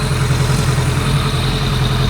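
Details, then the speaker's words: 2001 ZRX1200R four-cylinder, CVK carbs being synchronized (number 2 base carb), pair valve disconnected: even, fast, steady idle pulse with no stumble or hunting, all four cylinders firing, a sewing-machine sound. Smooth idle. "Wow, that's really got a sewing machine sound to it now. We're very close."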